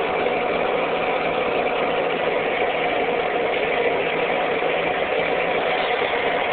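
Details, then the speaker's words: Ford 8N tractor after its wiring was fixed: a steady, even idle note with no misses, knocks or surging. Running much better than before. "running heck of a lot better than it did than it was"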